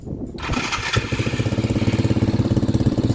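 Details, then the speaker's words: Dirt bike after freeing a bound starter chain (had only clicked, not battery or starter): brief starter whir, catches at once and settles into a steady single-cylinder putter; starts and runs cleanly. "right up. Boom. Fixed."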